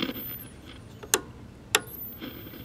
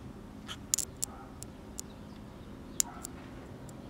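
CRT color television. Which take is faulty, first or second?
second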